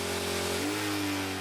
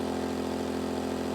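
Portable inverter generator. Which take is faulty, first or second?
first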